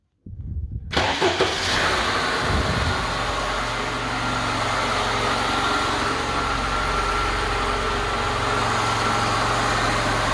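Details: Lada Niva first start after replacing water-damaged alternator with a stronger one, belt not yet tightened: brief crank, clean catch, steady even idle, no knocks or squeals; healthy start.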